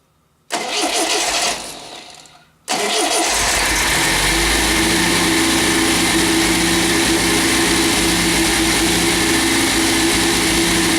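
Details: MGB GT first start after head gasket replacement and electronic ignition fitted: short crank, a pause, then it catches and settles into a steady, even idle without misfire or knocking; runs, though a large water leak was found.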